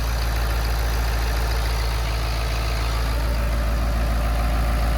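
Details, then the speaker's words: Early Ford 6.7 PowerStroke diesel after installing a Titan tank, no check engine light, idling outside: a deep, steady rumble with no knocks or surging that sounds different, like a factory setup; healthy. "Let's go outside and look. Sounds a lot different. That is a factory setup right"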